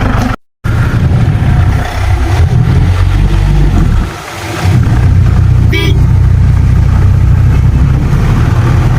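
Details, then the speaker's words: Mahindra Classic 4x4 Jeep, kept near stock, diesel started after glow-plug light goes out: loud steady diesel clatter with a rev blip rising and settling cleanly, no knocks or misses; normal running and revving. "Okay, അപ്പോൾ അത് crank ആകും. Start ചെയ്യാം. ഇതാണ് ഇതിൻ്റെ engine sound."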